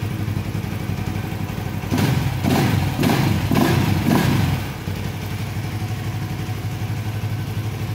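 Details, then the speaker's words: Suzuki FU150 fuel-injected motorcycle after electrical repair of a stuck TA Racing high-pressure fuel pump, pressure about 3.5 bar: steady idle with a few clean blips rising and falling smoothly; normal running and revving. "sekarang kita coba ya kita Nyalakan sudah ada kan kita coba Nyalakan Nor motor normal Sip bisa sudah"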